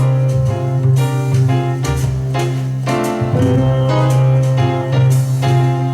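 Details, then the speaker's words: JVC KD-V300 cassette deck after repair (was stuck in record with motor running), playing back its own recording of a piano track; piano notes hold steady pitch with no wavering or warble, tape drive runs at even speed; normal playback, no wow or flutter. "now you probably notice I picked the track that has piano in here so we can hear Wow and flutter and this is sounding very good I'm quite impressed with the sound of this"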